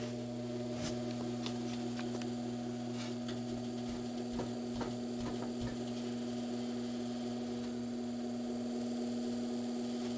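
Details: GE W22 box fan with plastic blades, motor running after repair of a buzzing noise on low speed blamed on a loose shaded-pole coil; steady, even low hum, no buzz or rattle, healthy before the blade load is added.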